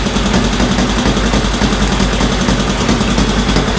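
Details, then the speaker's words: 1965 Honda CL77 305 Scrambler twin, restored, first start in several years after fogging oil, restarted with choke off: loud, steady idle with even, regular firing pulses, no knocks or stumbles; normal healthy idle, still to be heat-cycled. "we'll end up taking it outside and let it heat cycle for a bit but it looks good sounds good"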